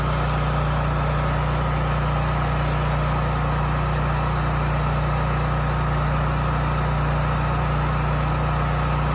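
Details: Homelite generator after carburetor cleaning and fresh oil-soaked foam air filter, at no load: even, unchanging engine hum with no rise and fall; steady governed speed, no more hunting or surging.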